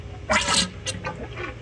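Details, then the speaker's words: 1982 Yamaha XT200 front fork being serviced: short wet slurping squelches each time the fork tops out at full extension. It is sucking air because the fork fluid is low; the fix is to keep adding fluid (ATF used) until the noise stops. "whenever I'm servicing these I kind of do a fight here when there's not enough fluid in here when you're actuated it you can hear it makes noise whenever it's fully extended"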